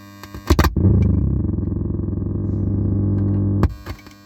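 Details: Car radio playing through AUX input with headlights switched on: steady low buzz pulsing about four times a second then cutting off sharply through the speakers; suspected ground fault in the AUX wiring (pins 10/2 ground, 9 AUX R, 8 AUX L), unconfirmed.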